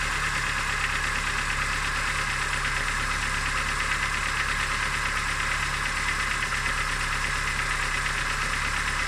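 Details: Idling engine with a faint, irregular knock about two per second under a steady hum; owner asks what the engine knock could be, source unclear.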